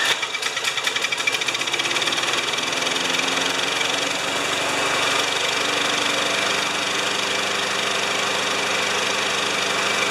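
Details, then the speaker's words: Briggs Quantum mower after main jet enlarged one size, primer assembly repaired, blade sharpened and plug cleaned, revving about 3160 rpm: steady, even buzz with no rising and falling, surge gone; normal steady running. "sharper blade clean plug uh that doesn't surge anymore although you can just hear it in the background"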